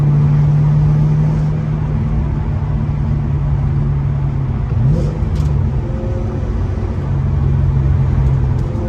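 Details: Ford Mustang GT 3V 4.6 V8 after a new engine, clutch, flywheel and headers install: a deep steady drone swells smoothly as the revs climb and settles back, with no knocks or rattles. Normal, healthy running.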